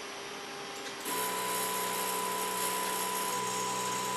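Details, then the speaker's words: Converted Epson LQ2070 dot matrix printer (vinyl cutter project), X-axis stepper at 500 Hz stepping 1000 steps left then right: steady electric buzz with even pitch, no grinding or clicking; stepper driving carriage normally. "can hear in the background the x-axis stepper motor running"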